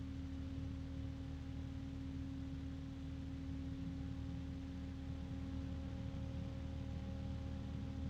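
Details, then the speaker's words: Noctua fan compared with Corsair ML120: soft steady air rush with one constant tone cutting through, no ticking or rubbing; Corsair louder overall but Noctua's pitch stands out; normal fan running. "I would say overall that the Corsair is louder, but there is a pitch from the Noctua that cuts through that noise, at least for me."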